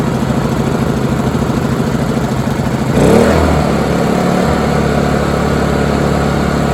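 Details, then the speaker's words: Honda EU2000i generator with old stored gas, after carb cleaner sprayed in as a temporary fix: runs steadily, picks up briefly and settles to an even drone without stumbling; running again, though a carb rebuild is still needed. "I'm happy I'm very very happy well that's awesome I didn't expect the little bit of crap I did to fix it but it's fixed for now"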